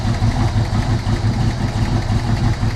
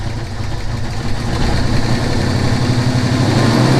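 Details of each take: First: Ford Maverick idling, charging 13.8 volts: quick uneven light tick about three per second over steady low rumble; owner unsure if it's a small knock or a slight exhaust leak. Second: Ford Maverick idling after work, belt working, charging at 13.8 V: steady even low rumble; owner wondered if a faint sound was a small knock or exhaust leak, but nothing built up; normal idle.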